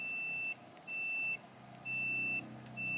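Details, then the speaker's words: Multimeter in continuity/buzzer mode with its probes shorted together, during a Samsung TV no-picture repair: four steady high-pitched beeps of about half a second each. "Saya akan mencoba menghubungkan singkat kabel multimeter. Dan Anda mungkin akan mendengar bunyi"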